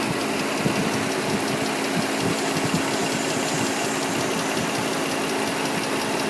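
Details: 2003 Nissan Murano engine ticking that just started: fast, even light top-end ticking over a steady idle; new CVT fluid, recent power steering and brake fluid, Castrol synthetic oil still good, new air and cabin filters; source not yet found, dealer visit planned.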